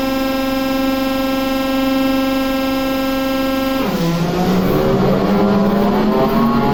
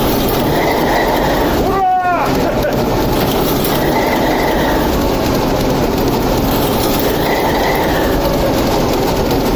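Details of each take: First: TEP70 0237 V16 locomotive diesel, first start after repair following oil priming: long steady cranking whine, then pitch drops and turns ragged as it begins pulling fuel; hard start because the governor was empty of oil. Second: TEP70 0237 locomotive with V-16 diesel, first start after repair, oil regulator just primed: heavy diesel rumbles evenly under rail and yard noise, running steadily and sounding healthy; normal running.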